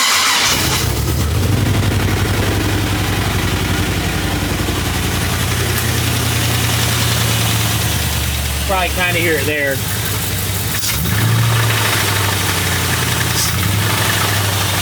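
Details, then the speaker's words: LS-swapped Ford Galaxie with a 5.3 V8 on open pipes: sharp, rapid clack-clack knocking every time the throttle is blipped, internal damage to the 5.3, cause unknown. "And there is a definite clack clack clack clack clack clack clack sound anytime you give it a little bit of gas. So yeah the the 53 has hurt."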